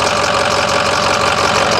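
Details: 2006 Ford 6.0L Powerstroke diesel at first start before the test drive: steady, even diesel clatter at idle with no misses, surges or odd knocks, and zero blow-by seen; the engine idles normally.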